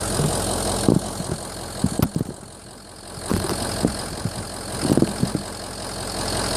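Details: 2004 Ford F-350 6.0 diesel idling cold with irregular stumbles and uneven thumps every second or so; EGR was sooted and cleaned without change, and it smooths out once warm. Rough idle; owner suspects injectors, FICM or EGR.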